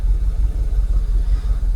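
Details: Jaguar XKR (X100) V8 idles with a deep, lurching, uneven stumble; live OBDII shows a multiple-cylinder misfire code, the switch from closed to open loop, and restricted performance, after Bank 1 aftermarket coil packs were swapped for genuine used Denso units.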